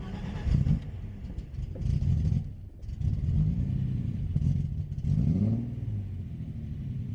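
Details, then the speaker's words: BMW E30 project car, test drive after drivetrain, polyurethane transmission mount, driveshaft and wiring reinstalled, no hood: loud raw deep blatting surging with each rev, exhaust not fully fitted, big exhaust leak. "Thing's a bit loud. Oh, yeah. God damn. Okay, the exhaust is definitely not all the way on."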